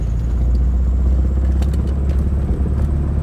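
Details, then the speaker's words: 2006 Nissan Altima driving with the check engine light flashing: a low, uneven rumble under load with an occasional stumble; misfire on cylinder 2 from a faulty ignition coil pack, which was then replaced. "we got a little bit we got a list fire going on inspiring we're gonna take you on Drive show you what we got going on with this car there we go here's a noise"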